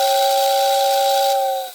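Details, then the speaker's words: Old Lionel Lines whistling tender, after repair of the magneto that wasn't pulling the contact plate up, with the transformer turned up high: steady two-note whistle with airy hiss, cutting off cleanly; normal whistle operation. "but it is working so i'll put the tender shell back on and maybe run it around"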